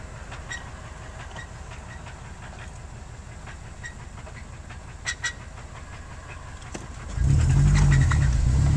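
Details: 2006 Subaru Impreza petrol engine idling with a steady heavy low knock, about three beats a second, growing louder; began with a clunk on a first-to-second shift, unchanged after adding 1 litre 5W-30, worsening, now stalls within seconds.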